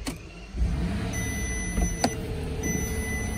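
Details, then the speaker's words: 2015 Bentley Continental Flying Spur with broken air suspension, key on, raise/lower and shock buttons held, engine not yet started: warning cleared and compressor kicks on with steady electric hum and thin high whine; compressor running normally. "okay the warning went off and the compressor just kicked on so i may not need to start the car but i will to keep battery good"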